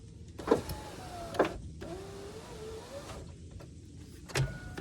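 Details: 2002 GMC Sierra Z71 SLT driver's window after replacing the regulator with Dorman 740-644. Clicks, then a smooth motor whir of about a second each way, maybe slow. Owner suspects a weakening motor or a track needing grease, but it works.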